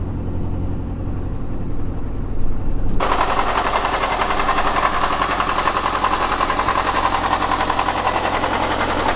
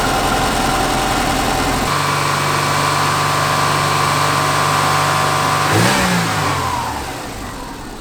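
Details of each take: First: Subaru Forester boxer engine at cold start: loud, rapid, rattling knock from a failing timing belt tensioner, not the typical Subaru rod knock; the engine still runs well, and the tensioner is to be replaced. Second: Subaru Forester after replacing failing timing belt tensioner and whole timing belt kit; engine catches and settles into a steady, even idle, then a clean rev rises and falls smoothly with no rattle from the front; normal start and rev.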